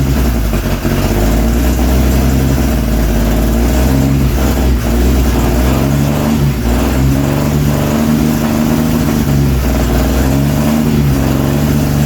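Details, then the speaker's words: Twin-carb Holden straight-six in chopped 1938 Chevy rat rod, first start after 20+ years sitting, no exhaust fitted, fuel leak at fitting: loud open lumpy uneven running at low revs; timing slightly out, carbs need tuning. "It runs. So, the timing's a touch out. Definitely need to tune the carbies."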